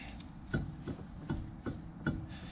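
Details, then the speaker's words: Toyota AE86 Corolla rear axle: light, sharp clunks about twice a second as the wheel is pulled in and out, showing axle end play (slop) from worn rear axle bearings. "if you grab the wheel pulling it out you can hear this thing if there's slop like that that's usually a pretty good indication something is wrong back there"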